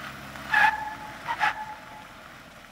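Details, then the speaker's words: 2015 Jeep Wrangler Rubicon, part-time 4WD high with front and rear lockers disengaged, slow turn in a parking lot: two sharp tire chirps as the transfer case forces equal front and rear driveline speeds, causing driveline binding. "can actually hear the chirping in the binding of the drivetrain what is going on here is the transfer case has to send equal rotational speed to the front and rear driveline and as the vehicle turns it wants to rotate those wheels at different speeds but it can't"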